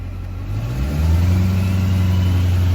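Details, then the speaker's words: 2001–2004 LB7 Duramax diesel with hood stack and DIY high idle kit activated by cruise control button, no throttle: rises smoothly from idle to 1200 then 1800 rpm, holding steady with no hunting; working as intended. "You can bump it back up, and some people like to hear a LB7 high idle with a hood stack, so it's not quiet, but this sounds pretty cool."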